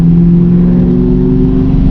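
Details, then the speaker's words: 1994-95 Ford Mustang 5.0 liter on road test after distributor replacement: steady rising drone under load, no bucking, stumble or misfire; seems to run okay, though owner plans to check fuel pressure after an earlier hiccup blamed on downshifting. "you know that could be a problem as is right now it seems like it's running okay"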